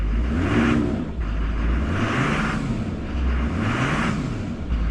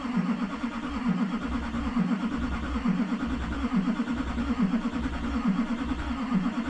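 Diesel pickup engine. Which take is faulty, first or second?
second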